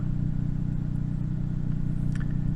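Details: 2008 Toyota Yaris after upstream O2 sensor replacement, code P0031 cleared with no faults on rescan: steady, even low idle with no misfire, ticking or hunting; the engine sounds healthy.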